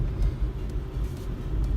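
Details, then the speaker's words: Renault Kangoo after slightly tightening the steering rack adjuster bolt to remove play that clicked over small bumps: only low road rumble rolling over bumps, no knocking from the front end; steering rack now quiet. "Супер просто. Вообще не цокає."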